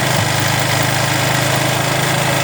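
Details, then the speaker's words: Engine during carburettor tuning, after turning the screw to find the right point: even, settled idle with a steady low beat, no hunting or stumbling; this setting runs best. "ඔන්න මේ හරිය තමයි මේකේ රන් එක තියෙන්නේ හොඳටම."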